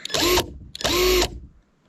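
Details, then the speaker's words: Hyper Tough impact driver, the cheapest sold at Walmart, with no speed settings and a smaller motor than the Milwaukee it is compared against, run with no load: two short trigger pulls spin up to a steady high whir with no hammering, healthy. "Let's do a quick sound comparison. And this is the Hyper Tough."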